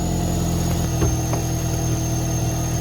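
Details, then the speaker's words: 21-year-old Mk6 Ford Fiesta ST150 track car, owner-swapped 2.0 Duratec, first start after sitting over 7 months: smooth, even idle with steady low hum, no ticking or misses, no exhaust smoke; engine healthy. "Sounds good. Doesn't sound too ticky or nothing, sounds nice. The 2 litre Duratex can be a wee bit ticky anyway, but sounds great, sounds really smooth."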